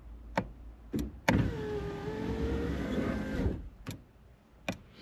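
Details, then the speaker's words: 1990 Toyota Space Cruiser (Model F/MasterAce/Tarago), window being diagnosed because the passenger window wouldn't work: switch clicks, then smooth, even motor whine for about two seconds as the glass goes down and back up. Normal power window operation. "So if I stop talking, you may actually um hear the window go down and back up."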